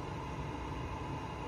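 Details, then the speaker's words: Newly installed budget roof fan in a camper van, just wired and switched on: steady low hum with faint even whir, no rattle or tick; fan running quietly and normally. "fan is on. Nice and quiet actually."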